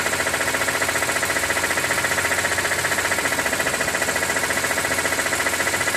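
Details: 2006 BMW E46 M3, 42,600 km, warm idle above 80°C oil temperature: crisp, even tick about three times a second over smooth idle; source unknown, owner wonders about the oil pump.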